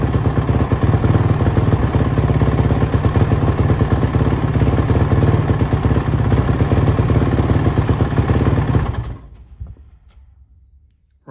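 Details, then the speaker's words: Suzuki RMZ450 single-cylinder, first run after a major head rebuild following a dropped valve: uneven thumping with revs surging and dropping for about nine seconds before cutting out. Owner suspects a lean condition because the head glowed red hot quickly. "it sounds like it's running really crap though as you probably said it's really like the RPMs are jumping all over the place it's real erratic"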